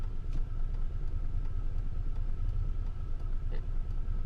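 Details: 2002 Chevy S-10 Xtreme with check engine light flashing, strange noises and a shimmy at low speed; low, lumpy idle with about two uneven pulses a second and irregular shake; rough idle.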